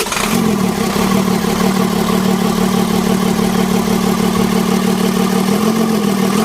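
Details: Mitsubishi 6D17 diesel after plunger replacement for hard starting: steady, even diesel clatter at constant idle with a low drone underneath; running smoothly, normal idle.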